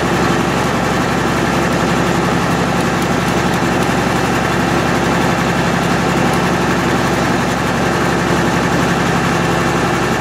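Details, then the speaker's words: MEP-006A military 60 kW diesel genset, first run after sitting 3+ years, enclosure doors open, circuit breaker off: even, steady diesel chug with a low throb, no knocks or misses. Running normally; frequency reading not displaying correctly. "that is awesome not as loud as i thought it would be i got the doors open too"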